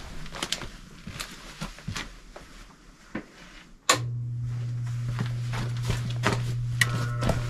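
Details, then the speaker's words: Furnace on a no-heat call, power cycled after replacing a part: scattered clicks then steady low hum as inducer motor starts; normal start-up, inducer runs about 1 minute before glow plugs heat, gas valve opens and burners ignite. "So, first the thermostat calls for heat, then the inducer motor will turn on and run for roughly 1 minute. Next, the glow plugs will heat up, then the gas valve will open and the burners will ignite."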